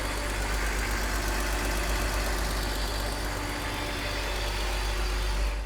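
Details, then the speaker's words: BMW E46 325i Touring straight-six, cold start, sitting since January with short runs, oil 10W40 over 20,000 km old: uneven slightly stumbling idle from poorly working injectors misfiring, plus a light hydraulic lifter tick. "we are starting off with a cold start you can't hear that well but the enders started working poorly and misfiring on top of that you can hear a lifter"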